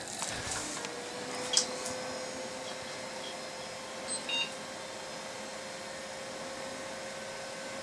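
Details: Very old desktop PC with CD/DVD drive restarting after earlier OS-loading error, before cleaning; fan hum with one short high beep and no repeating code, boots normally though hard drive is tired; normal POST beep.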